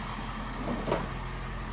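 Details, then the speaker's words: 2023 Ford F350 6.7 Powerstroke diesel after fuel filter replacement, key cycled 2–3 times to prime before starting: low, even diesel rumble at idle with no knocks, misses or hunting, and no leaks found. "Starts up every time."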